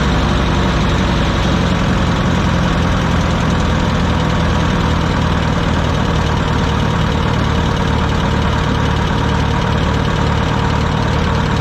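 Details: Wisconsin VH4D four-cylinder on Bandit model 65 wood chipper, repaired after abandonment: steady even low rumble at constant speed, no irregular beat or knock; starts great and runs fine.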